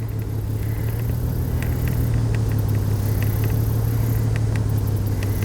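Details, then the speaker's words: 2002 Chevrolet Trailblazer idling with a deep, slightly uneven rumble, misfiring on cylinder 3; it revs up fine; a possibly disconnected coil was suspected and the fix turned out easy. "i can rev it up rose up fine yeah it's misfiring right now"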